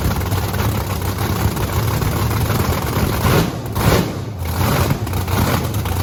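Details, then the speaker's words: Blower V8 Camaro on methanol after cleaning gunked fuel nozzles: loud, deep, lumpy rumble staying strong and even, no misses or stumbles; not drowning, running healthy. "it's really not like doesn't seem to be drowning it though"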